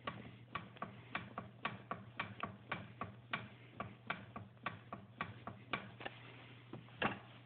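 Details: Light, sharp rhythmic ticks about two to three a second over a faint steady hum on an 800 E-TEC; owner suspects piston slap, unconfirmed.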